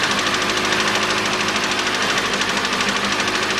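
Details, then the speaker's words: 2013 Mitsubishi ASX, 1.8 petrol, CVT, front-wheel drive, 390,000 km (engine replaced at 220,000 km): cold engine shakes and gives a hard, steady knock about three times a second over a shaky idle; owner suspects a piston knock. "может до сих пор стучит поршень Поэтому в любом случае надо вскрывать смотреть"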